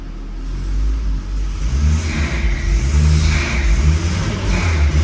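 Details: Tuned turbocharged Peugeot 309 with a TU engine, revved while kept from stalling: engine blips up and falls back several times with a rushing whoosh rising on each rev; the turbo behaves normally, though the car tends to stall for unknown reasons.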